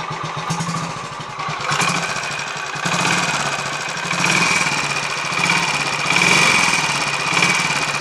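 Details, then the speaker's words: Royal Enfield 500 Machismo electric-start single after starter noise fix, 20W-50 oil in the starter sprag/freewheel area, warming up: thump swelling and easing with throttle blips roughly every second, even, no knocks or starter clatter; camera may amplify sound; normal running, much better. "there's a fair chance that the camera might actually be amplifying what we're hearing here but hopefully it'll be possible to compare this footage with what I got in uh the previous video footage and it should be able to te possible to tell but it's actually sounding a lot better"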